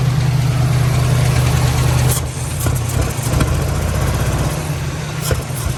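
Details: 1997 Lincoln Town Car Signature that sat 2 years after timing chain failure: uneven idle with loose, irregular front-engine rattle over low rumble; owner unsure if timing chain or tensioner, supposedly replaced; suspects miswired plug wires for stalling on throttle.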